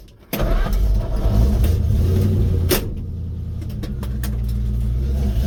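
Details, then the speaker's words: 1950 Ford F1, Flathead V8 8BA, on a test drive at about 45°F after replacing the exhaust manifold gasket and missing header bolts: even, deep V8 burble pulling smoothly with no ticking or puffing; exhaust sealed and quiet. "oh yeah nice and quiet quite happy about that"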